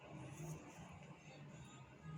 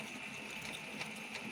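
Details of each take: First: Brother DCP-L3551CDW printer that pulls paper at power-on and jams when printing: stop-start bursts of low motor whirring, followed by a paper jam T1 error on screen. The pickup solenoid is suspected. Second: Brother DCP-L3551CDW printer after the paper-feed parts were cleaned with alcohol, powered on for warm-up: light, quick, smooth mechanical whirring. The gears turn while the solenoid is not engaged, which is normal.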